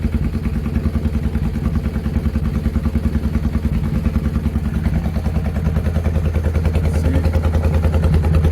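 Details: Motorcycle after velocity stacks and two shims were fitted, running very well after a test ride, with the deceleration pops now gone: even, crisp exhaust beat at a steady idle, firm and regular with no misses or popping; normal running.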